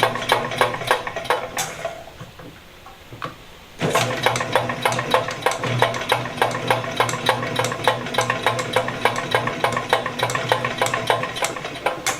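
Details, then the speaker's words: VEVOR 75 ft x 1/2 in auto-feed drain cleaning machine spinning with no load at about 1800 rpm in the garage: quiet, steady low motor hum with light, even ticking about three a second and no strain; normal no-load run. "like I said guys uh it's nice and quiet it will spin with no load on it at about 1800 RPMs but you can hear how quiet it is"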